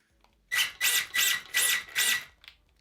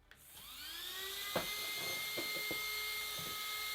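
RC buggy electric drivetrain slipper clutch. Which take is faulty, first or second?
first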